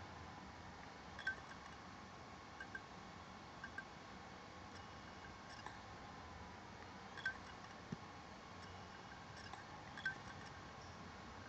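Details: Asus laptop hard drive at idle: faint, irregular clicks and ticks every second or so over a quiet hiss. They happen only when the screen is turned off, and the drive works fine so far. The owner wonders if it is the click of death.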